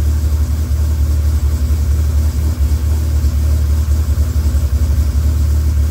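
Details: Freshly rebuilt Dodge Viper V10 on first startup after oil priming: deep, even roar that rises and settles smoothly on the throttle with no knocks or ticks. About 60 psi oil pressure, no leaks; healthy.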